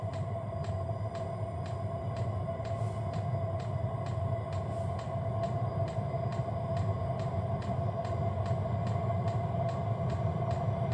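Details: Hcalory diesel heater on gear mode setting 3, high-plateau altitude setting, drawing 13 volts, 36°F ambient, heater body 230°F: even blower roar with a clean fuel pump tick about twice a second. Running normally.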